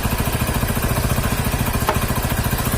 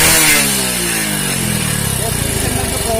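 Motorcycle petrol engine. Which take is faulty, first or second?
first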